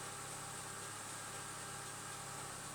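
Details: Chevrolet Lacetti petrol engine idling smoothly with a steady hum and no hydraulic lifter ticking; the owner had heard lifter knock for 5–15 seconds on cold starts only, and was testing an anti-noise additive.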